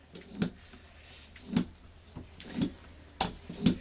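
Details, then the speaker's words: Tubeless tyre, 2.3-inch width on 30 mm inner-width wheel with valve core still in, seated without compressor: five sharp, uneven snapping pops over about four seconds as bead jumps onto rim seat; normal seating. "you can hear the bead popping the arc arc wheelsets have a really nice bead seat especially in a 30ml"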